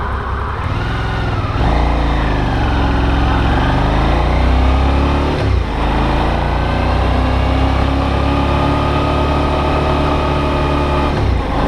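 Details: Brand-new Suzuki V-Strom DL650 twin, comparison test ride with camera on bike, owner's white bike suspected of abnormal knock: smooth pull through gears, pitch rising and falling with throttle, no clear knock over wind rush; normal running.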